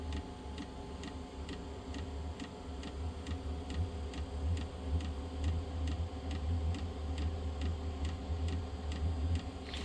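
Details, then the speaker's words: Truck diesel heater that quit after a week; owner suspects biodiesel and a clogged screen around the glow plug: sharp, steady pump ticks at about 74 a minute over a low hum. It pauses between two start attempts and fails, probably flooding. "I think basically what it does is it attempts to start two different times the problem is that it's pausing in between is what kills it it was already on but it paused and went to go recycle and that stopped it"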